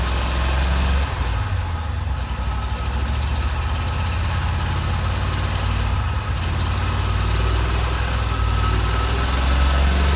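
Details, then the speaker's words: 1987 Corvette V8, flooded and cleared by blowing out cylinders and refitting spark plugs, runs with deep, uneven, lumpy idle pulsing; dies on throttle release and reflooods, fuel getting into oil; owner suspects severe flooding past piston rings. "so we did finally get this thing to run and hear what it sounds like but as soon as i let off the throttle it did die and it flooded itself again"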